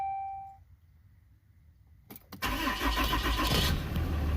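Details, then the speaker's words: RAM 3500 diesel just after fuel filter replacement, key cycled about seven times to prime: key-on chime, short crank, then engine catches and runs lumpy and unsettled while air purges through the filter housing, then levels out; rough start-up with air in fuel system. "You see? It's still pumping fuel, as you can hear how it's running. The fuel filter housing is still trying to prime the air. See? Now it's leveled out, so all the air is primed."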